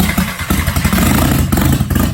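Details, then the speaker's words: VW Jetta, first start after head rebuild with exhaust manifold off: a rough, loud clattering catch quickly picks up into an uneven rev with open exhaust bark; the engine fires and keeps running, no leaks. "Man, it's been a lot of work, but that sounds good."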